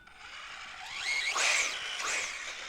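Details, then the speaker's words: Traxxas Slash 4x4 with new RPM upgrades, rolled by hand: a whirring gear whine rising and falling in pitch. Pinion was tight and spur teeth were not chipped, and it moves smoothly. Drivetrain gear noise, source unidentified. "there is definitely some type of gear noise of some sort"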